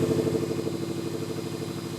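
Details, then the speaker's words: Subaru STI after repairing exhaust leak at the external wastegate up-pipe and gaskets: steady, even idle with a regular low pulse, no puffing or ticking from the exhaust; engine sounds healthy. "Doesn't sound like a tractor."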